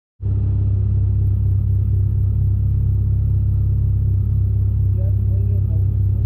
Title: ROD KNOCK OR VALVE TICK??